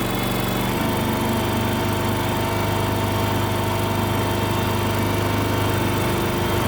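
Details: Kohler engine on a Terramite T5 mini loader that wouldn't stay running, after fuel pump replacement: catches within a second, settles into steady even run, no stumbling or surging; seemingly fixed.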